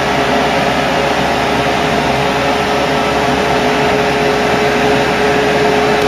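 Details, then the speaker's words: Ford Cortina Mk3 upgraded 300 W heater blower motor bench-run on direct power, face and foot vents blocked: loud steady air rush with faint constant hum, no surging or rattle; running smoothly. "You can already hear how noisy these things sound."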